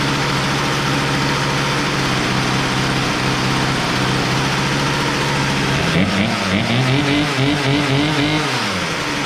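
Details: Poulan Pro P3416 34cc 16-inch chainsaw, abandoned, revived with new Champion plug and idle screw adjustment; plug gap likely too closed: steady two-stroke drone then a couple of quick revs, no stumbling.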